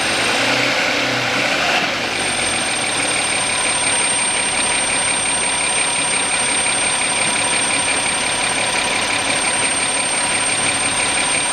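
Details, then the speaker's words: 2007 Audi Q7 3.6 with power loss and ECU codes incl. P0430, P2401, warming up: thin steady whistle from 63 °C, stronger by 65 °C, not rising with revs; vacuum leak through torn PCV membrane in valve cover. "вот при температуре 63 градуса легкий свист появился при 64 сильнее при 65 уже вот этот Явный слышно и он еще немножко увеличится"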